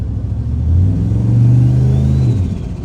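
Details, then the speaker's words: 2003 Silverado with Escalade swap, 6 L LS, 243 heads, stage 2 cam, GT45 turbo, AWD, after fitting an FTI 3200 stall converter: light throttle tap brings a quick rise and the turbo starts howling with a rising whistle; normal turbo spool. "And when I just give it a little tap, like right to 30,000 just with a little light bit of throttle and the turbo starts howling."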